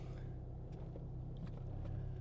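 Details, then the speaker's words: Warm car on Airlift Performance air suspension, driven slowly away: only a low, even engine and road rumble with no squeaks or squeals; the earlier pillowball bushing noises stopped without replacing any bushings. "so as I drive out of here I want you to notice there's no squeaks or squals there's none of that like it is now silent on the bushing side of uh the suspension"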